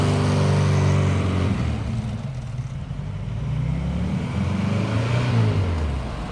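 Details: Porsche 914 with freshly installed 2-liter engine, cold start after new motor fitted: catches and settles into a firm, even low idle with a light blip, no knocks or misses; healthy normal cold start idle.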